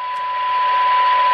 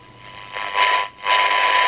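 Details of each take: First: 1978 Craig 4103 23-channel AM CB radio, fed a function-generator AM tone through a stepped attenuator at the 10 dB SINAD reference; steady clear ~1 kHz tone over soft hiss, normal receive. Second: 1978 Craig 4103 23-channel AM CB radio with poor reception, test signal fed in: two half-second surges of hiss from the speaker; noise and distortion, technician suspects the second IF stage detector diodes, not confirmed.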